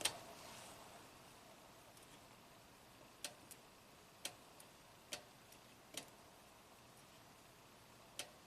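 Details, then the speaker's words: 2015 Toyota Camry, 125k miles, U760E transmission with P2714 shift solenoid performance code and shift/shudder complaints; bypass check at external harness gives crisp single identical clicks, solenoid switching normally, resistance 6.3 ohms; P2714 remains pending. "Hear a click, lights up the same."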